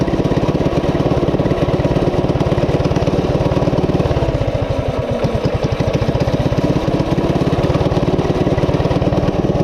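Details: Coleman CT200U-A minibike, 196cc single, at idle after new carb gasket: rapid, busy, steady buzz that never drops to a slow lope despite carb adjustments. High idle; cause unknown, owner wonders about the clutch.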